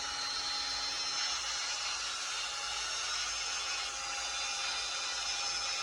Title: noisy drill, шумная дрель